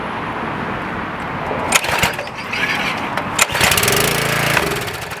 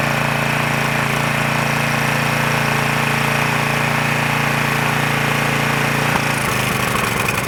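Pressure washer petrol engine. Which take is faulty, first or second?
first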